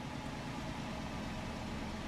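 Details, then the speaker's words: Dodge Charger Pursuit V8 with a new PCM, at idle, vacuum leak suspected: steady, even low rumble, not bumbly, with no stumble; idles smoothly. "Not as bumbly. Not as bumbly at all."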